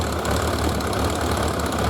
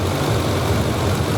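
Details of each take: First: 1991 Suzuki GS1100G idling lumpy and clattery with uneven low pulses after carburetor work, before balancing; carburetors out of balance, and balancing smoothed it out. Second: 1991 Suzuki 1100G after carburettor work, carbs being balanced by screw adjustment (center one was way off, revs had risen near 1500 rpm): low, smooth, even idle hum with no hunting; carbs now balanced, normal idle.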